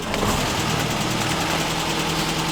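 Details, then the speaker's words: Classic Land Rover with a 4-speed and overdrive, started using the choke and push button. A quiet engine with a soft, even low rumble and a steady idle beat, with no knocks or misses; normal idle. "Which, give it a second. This is a very quiet engine, so you always can't hear it."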